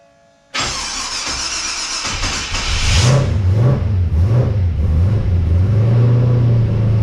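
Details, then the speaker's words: XG ute after fitting CNC-ported heads and a VCM 13 cam, start on fresh oil with standard pushrods: catches cleanly, smooth idle, crisp rev blips dropping back evenly; sounds healthy. "so how good does that sound"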